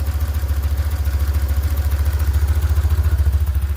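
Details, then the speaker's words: BMW R1150GS twin started ice cold, owner reports knocking once warm: steady even low idle, smooth like a sewing machine, faint clutch rattle; normal cold idle. "sounds like a sewing machine."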